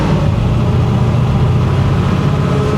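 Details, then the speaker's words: 1966 Chevy Impala V8 on road test, warmed up, three-speed, exhaust needing adjustment: deep, steady rumble with even beat, no knocks, ticks or misses over road hum; engine sounds great. A whine heard, rear-end fluid may need checking. "It actually sounds great. Shifter works great once you get the hang of it."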